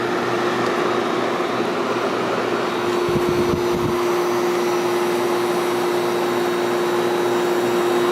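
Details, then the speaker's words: 1973 Whirlpool 6,000 BTU window air conditioner with a Seeger rotary compressor, case opened: a steady fan rush, then a smooth compressor hum with no rattle, running normally and cooling. The compressor stalled briefly at start, and the owner suspects a failing capacitor. "okay let's hear the compressor around it should start it's kind of warm down here this is very smooth running"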